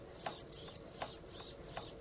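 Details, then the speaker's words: Servo on the throttle channel of a receiver bound to an ImmersionRC EzUHF JR module (Turnigy 9XR transmitter), powered by a 6 V battery, no servo arm fitted; short clean, even buzzy whirring bursts about twice a second, no grinding or stutter: normal servo operation. "So, as you can see, I have the servo on my throttle channel, and you can probably only hear it because I don't have a servo arm"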